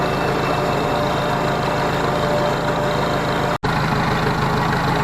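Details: Ford 641 Workmaster tractor revived after sitting at least 10 years in a pasture: steady, even idle with a low rumble, good oil pressure, no rubbing or squeal after the original fan and pulley were refitted to the alternator.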